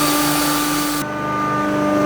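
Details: Premium six-blade grinder, HP motor on household current, rated 20–25 kg per hour, grinding over 2 kg of rice. A steady high motor whir, with the hiss dropping as the load clears; normal grinding.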